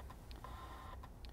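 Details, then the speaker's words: 12V electrically controlled valve actuator meant to rotate 90° each way: a faint motor whir with a chirp about once a second, while the output doesn't move. Disassembly found a shattered gear in the gearbox, which needs replacing. "we can hear it trying to do something but the actuator is not moving"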